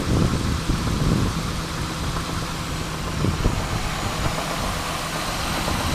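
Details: Pontiac Bonneville 3.8L V6 after a hard highway pull, when clicking and knocking began and the engine died: rough idle with scattered sharp knocks and clicks; owner suspects a bent rod or bad rocker arm, coolant and oil mixed, unconfirmed.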